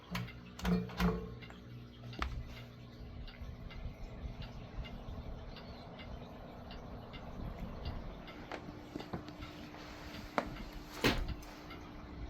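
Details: Vintage Lakewood Country Aire C-720-3 three-speed box fan with Westinghouse motor, started on low (motor better once warmed up): switch clicks then quiet steady low hum, no rubbing or rattle; normal low-speed running.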